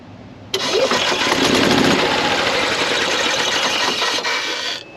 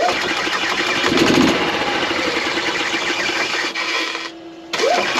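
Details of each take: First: 2016 Yamaha petrol golf cart that starts slowly or sometimes not at all: starter drags round slowly at about three and a half turns a second without catching; battery voltage dips to about 8 V under cranking load; weak battery. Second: 2016 Yamaha petrol golf cart, after replacing the battery that caused low-voltage slow or no starts: brisk, even cranking that catches and runs, with a short pause between tries; starter spins strongly, normal.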